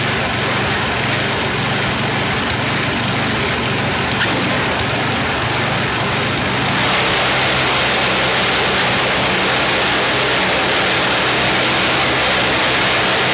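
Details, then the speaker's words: YardMan snowblower small engine test-run after an auger belt fix. Holds a fast, busy drone with slight unevenness. Speed is set a bit too high and needs tuning by pulling back throttle; also slightly stumbly, idle circuit may need checking. "I got to tune the engine a little bit more. It's running a little too high, so we're going to pull a little throttle out of it because that's just a bit too high."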